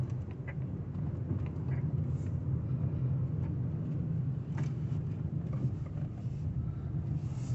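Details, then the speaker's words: Same car driven over speed bumps after the dried, cracked rear shock absorber and anti-roll bar bushes were lubricated as a temporary fix: only steady low road rumble, no creaks or squeaks; the noise is gone until new shock absorbers are fitted. "a lot more speed bumps coming. What a difference that makes. It's like 100% gone."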